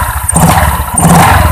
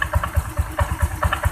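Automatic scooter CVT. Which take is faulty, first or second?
second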